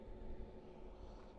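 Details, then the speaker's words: Pit Boss Vertical 4 Pro Series pellet smoker in shutdown mode after 45 minutes steady at 230: low, steady fan hum winding down evenly with no rattle or scrape; normal fan run during shutdown. "And you can see it's on shutting down mode. Once you hear the fan is not going anymore, then you can pull the plugger."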